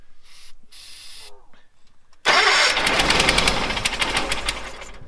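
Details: 1970s Bolens QT16 tractor, sat unused for quite a while, gas of unknown age, dry fuel filter, suspected fuel not priming: after a pause the starter cranks hard at three to four turns a second but never fires; cause suspected, not confirmed. Crank no start.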